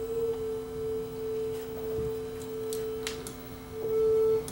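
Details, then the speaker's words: Sanyo RDS20 cassette deck playing a 440 Hz test tone: a slow wavering beat about once a second against the reference shows the tape running flat, before the speed is adjusted. "got a 440 Hertz tone going we can hear that this was flat so we're just adjust the speed here"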